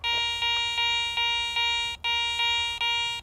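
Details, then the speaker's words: ACE 400 metal detector with the coil swept over a silver coin reading 75 or higher on target ID: a repeated high-pitched bell tone pulsing about once a second. This is the high-tone target signal. "there's your high tone or your bell tone and let's go back over the other two real quick so you can hear them high tone mid tone low tone"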